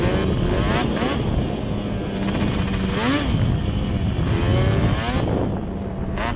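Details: Yamaha Banshee two-stroke twin ATV on a ride after misfire chase (new plug caps, coil swap didn't cure it): carb needles moved back to middle position, pulling cleanly, revs rising and falling with throttle, no cutting out; miss gone, running normally.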